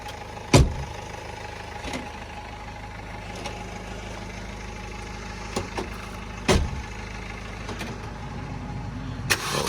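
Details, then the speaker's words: Supercharged Mini R53 first start attempt after engine reinstall, fuel gauge at an eighth, battery light on: starter spins in a steady, rather slow whirr with a few clunks but never catches; crank, no start, cause unknown. "What? No, it just doesn't sound like it's trying to go."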